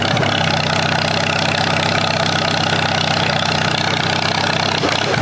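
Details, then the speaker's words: 1947 Allis-Chalmers B tractor, revived after eight years sitting, after cleaning spark plugs: steady low idle with slightly uneven beat and stumbling pulses; still rough, owner suspects carburetor fuel starvation, unconfirmed. "I believe the tractor is running a little bit better but we're still having that general issue"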